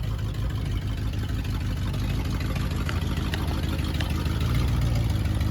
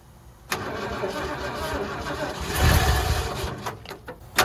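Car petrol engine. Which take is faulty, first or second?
second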